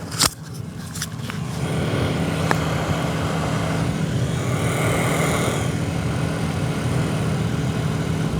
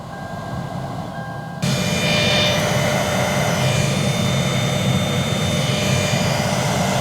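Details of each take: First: Non-working AC blower motor, key on, set to max, runs only after being smacked: sharp thumps then a steady whir, indicating a bad blower motor. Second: Car AC blower motor, previously not working, reinstalled and powered with key on: fan comes on abruptly, steady whooshing rush with faint even hum, no scraping or rattle; running normally.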